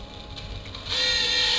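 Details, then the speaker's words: Eberspächer Hydronic D5 second-generation 5 kW diesel water heater on test, fault codes 12 and 15: thin, steady high whine from the coolant water pump running dry with no water in it. "Water pump, yeah, it's really noisy because it has no water."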